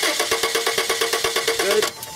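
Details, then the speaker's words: 1995 Subaru Legacy 2.2, waste-spark ignition, no-start: fast even starter cranking, about nine beats a second, never catches; test light shows no spark from either coil, traced to a faulty igniter, which was replaced. "no spark from that coil with no spark from either coil on this side there's no reason to check the other side because they're way spark and each one of them not firing indicates the coil is not firing at all"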